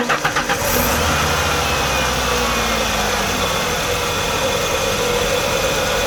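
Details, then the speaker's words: 1993 Ford F-150 300 inline-6, 5-speed, 109,000 miles, after retightening loose spark plugs that had been rattling and causing a ticking: cranks, catches and settles into a steady, even idle; ticking gone. "So yeah, my ticking is totally gone."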